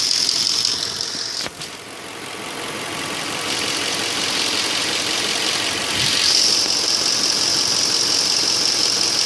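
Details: 2002 Audi A8 quattro 3.7 (AKC) automatic, hot engine idling in D or R: steady tapping about three and a half per second over a hissy idle, disappears when driving; no fault codes, present unchanged for three years.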